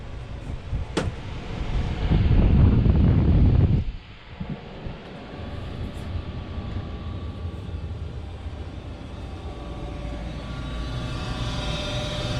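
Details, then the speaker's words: Goodman 95% AFUE gas furnace, first official startup of the 2019-2020 heating season after only brief runs: a deep whooshing rumble swells for a couple of seconds as the burner lights, then settles into a steady quiet low hum; normal startup. "so this is gonna be the first official startup of the gas furnace so let's fire it up there goes and there goes the burner"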